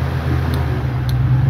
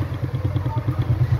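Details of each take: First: Stand fan after repair, at lowest speed (number one); before the fix it hummed and knocked without spinning: smooth, steady low hum with no rubbing or rattle, so the fan runs normally. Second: Stand fan running on speed 1, cover removed, drawing loud hum and barely turning: low rhythmic thumping about nine a second under a heavy hum; shaft wobbling in a dry, worn bushing with crumbled spacer.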